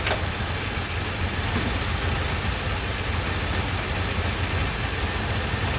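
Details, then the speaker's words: 1978 Chevrolet C10 V8, running off its gas tank after new plugs, wires and first oil change in 10 years: low, constant idle with no surging, ticking or knocking; normal idle, fuel pump working, visible smoke. "We'll let it sit here and see if she'll idle for a few minutes."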